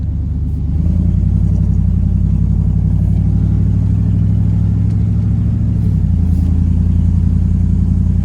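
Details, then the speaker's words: 1990 Chevrolet C2500 V8 after new spark plugs and wires, put in gear; low even burble with slight rev rise, no more skipping, running properly. "no more skipping put it in gear runs like you should if we need to burn that hole pretty good fit but hey is run a lot better"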